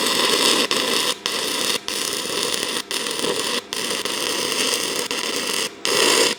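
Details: Arccaptain TIG 205 Pro stick welding 6010 rod at 90 amps: crackling arc drops to silence about every second and restarts; welder can't sustain 6010, though it runs 6011.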